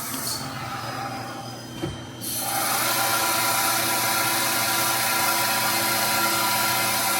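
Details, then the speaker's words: Old Fadal CNC mill, sat unused for years, spindle commanded to S3000: it stops, clicks as it switches belts from low to high gear, then spins up to a steady, even high whine with no grinding; gear change normal. "S3000. That should make it stop, change gears up top. It'll switch between the two belts and go into a higher gear."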